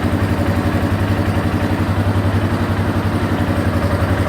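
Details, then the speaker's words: 1989 Yamaha Moto4 350 after top-end rebuild (new rings, valve seals, gaskets, oil and filter; valves need adjusting soon): even steady idle, regular firing pulses, no knocks or ticks, little smoke or burned-oil smell; healthy. "sounds good, and I got it all back together."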